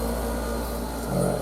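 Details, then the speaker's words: Mini split outdoor unit hung on a wall bracket spanning studs on a garage wall: a low, steady drone that carries into and shakes the wall. Structure-borne vibration; the unit must be isolated from the building, as such a mount suits only concrete block walls. "You hear that low frequency hum? It's shaking the wall. So, this should only be done on a concrete block wall. So, right now, I have to think about a way how I've got to isolate that hum from the building. You hear that hum? Yeah, that's the wall"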